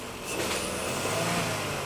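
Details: Ford Explorer 3.5 L, after a crank no-start was fixed by replacing fouled spark plugs, freshly restarted: quick throttle blip picks up cleanly and settles back smoothly with no stumble or misfire.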